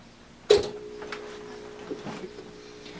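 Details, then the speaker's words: UPS unplugged from mains with load on: a sharp click, then a faint steady low hum as the transformer inverts power from two 12 V 7.5 Ah batteries to 120 V; normal operation. "not sure if you can hear in the background but you can hear this low humming summer that right there is the transformer working to transform the power from the standard there's two 12 volt 7.5 amp power batteries in here back into the condition 120 volt current and that's why these lights are staying on right now"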